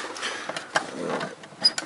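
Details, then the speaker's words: Dehumidifier salvaged from bulk waste, under repair for a faulty air circulation fan: a few crisp light clicks as the water tank-full micro switch behind the tank snaps over; switch works. "Voilà, donc on entend le clic, donc ça il fonctionne. C'est la même chose, hein, donc une fois que l'eau voilà, donc, en fin de compte, le système du remplissage d'eau fonctionne, donc l'interrupteur, le micro switch qui est derrière, lui fonctionne."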